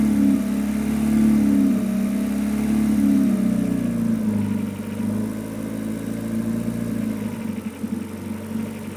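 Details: Renault Megane 2 RS 2.0T 225hp with an odd wavering drone mainly between 1250 and 1750 rpm, fainter above that and seemingly absent on deceleration; coils, plugs and injectors are new, and the cause is unknown.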